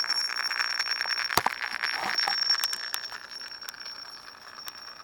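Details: Google Cr-48 laptop playing Pandora: steady piercing high whistle with scratchy crackle and sharp clicks from the speakers; speaker noise glitch, cause unclear, fixed by restarting the computer.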